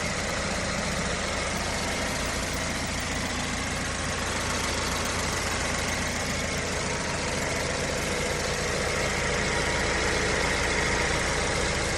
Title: BMW 116i E81 Engine Ticking Noise - Any help?